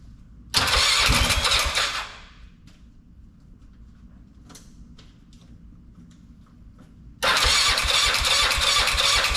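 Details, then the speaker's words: Polaris Sportsman 500 after top-end rebuild: two bursts of rapid cranking with quiet between, never starts; owner believes fuel pump isn't delivering, weak pulse signal, fuel starvation; new pump to be ordered. "man that's a racket well I'm pretty sure the pump isn't working so I'm gonna let it sit"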